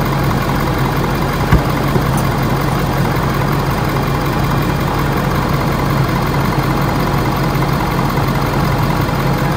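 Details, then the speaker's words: Ford F450 Power Stroke diesel truck, cold start right after new serpentine belts fitted before a trailer road trip: steady, even idle with low continuous rumble, no knocks or belt squeal, gauge at bottom of range while warming; normal idle. "Bottom of the range, but she's cold. Let her warm up a little bit."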